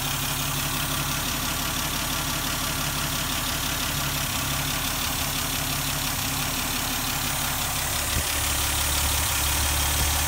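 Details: 1971 Dodge Demon, 198 Slant 6 stored in a garage since 1988, started on the standard battery with no starting fluid; steady even idle, smooth low pulse, constant hiss, no misses or knocks, running healthy.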